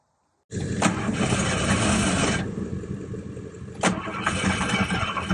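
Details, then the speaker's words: 1986 Ford Ranger XLT Super Cab 4x4, fuel injected, abandoned 16 years, tried on ether: starter churns with uneven chuffing but never catches. Crank no-start; has spark, owner suspects a small fuel leak drained the fuel rails. "it well it's definitely got spark I don't know about the fuel though it's fuel injected it had a small fuel leak so uh reportedly so it may have drained down out of the fuel rails and uh might be difficult to get the fuel to come back up"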